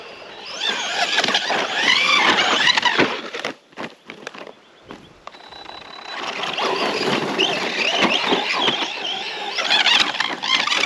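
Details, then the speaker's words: Arrma Senton RC truck with upgraded oversized tires driving through sand: a high scraping squeal that rises and falls with throttle as the tires rub the body. "That noise you're hearing is the tires rubbing."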